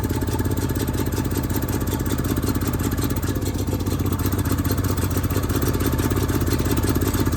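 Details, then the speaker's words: Onan RV generator after carburetor cleaning and a shot of starting fluid: a steady small-engine chatter with a slightly uneven, hunting beat. The running is uneven; the automatic choke should pull off and the carburetor isn't acting right yet. "it's supposed to automatically pull off the carburetor's not acting right yet"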